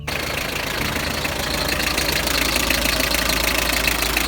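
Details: Hyundai HR diesel at idle after replacing the squealing power steering belt: a steady, even clatter at about three beats a second with no belt squeal or chirp.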